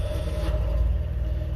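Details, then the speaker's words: 1970 Honda N600 twin with custom dual exhaust, about 58,000 miles (possibly rolled over): steady, even low exhaust burble with no knocks or misses; runs smoothly and healthy. "it's a 1970 N600 it's a nice little car it runs like a top"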